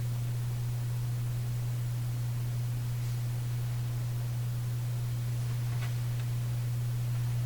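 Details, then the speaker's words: Canadian General Electric Model A55Z radio while its old electrolytic capacitors are being replaced: a strong, steady, constant-pitch mains hum from the speaker at switch-on that then reduces and keeps fading. Hum source not yet traced. "home was strong at first hum is reduced it's continuing to go down"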